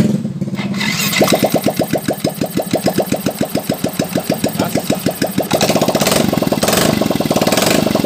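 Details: Yamaha Fino scooter start after replacing rear axle seal, crankshaft and pulley shaft seals, tested with exhaust not yet fitted: starts, then settles into a loud, even popping idle around five beats a second; runs clean, no knocks or rattles.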